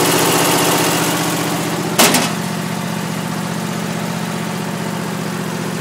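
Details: Troy-Bilt single-cylinder engine, cold start with choke off, last run days earlier: catches and settles straight into a steady even putter with no misses or knocks; normal cold start.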